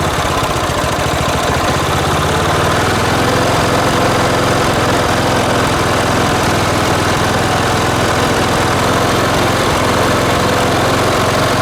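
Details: Late-1980s John Deere RX95 riding mower, after reconnecting the fuel line to the carb: firm, steady chug at about four beats a second without stalling or hunting; running healthy.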